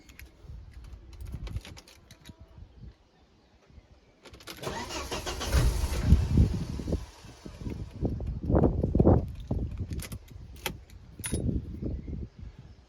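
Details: 1997 Volvo V70 T5 manual, 5-cylinder turbo, about 160,000 miles, with a crank-no-start fault caused by a failed key chip and ignition antenna ring: with the working second key the starter whirs briefly and it catches to a steady, even idle, a normal start.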